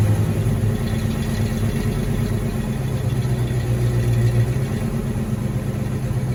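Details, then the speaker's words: 1986 Ford Mustang GT V8, original-mile car that sat a long time, after new cap and rotor: deep idle rumble with uneven lumpy beat and stumbles; misfire traced to arcing spark plug wires. "Uh-oh. Kind of sounds like it's messing though. That's not pretty good."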